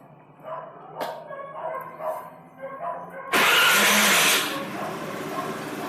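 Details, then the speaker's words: Honda Lead scooter, first start after the engine was reinstalled following repair of a badly done earlier job that damaged an engine part and caused scraping: a dog barks, then it catches into an even idle, no knocking, scraping gone. "aí perfeito de novo tô com o microfone aqui chegar mais perto não bate nada acabou aquele barulho raspando"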